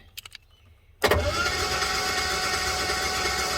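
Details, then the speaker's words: 1976 Jaguar XJ6 Series 2 long-wheelbase being cranked with spark plugs out before a compression test. Fast, even spinning starter whir with no misses; healthy cranking. "okay so she's cranking fr the ignition"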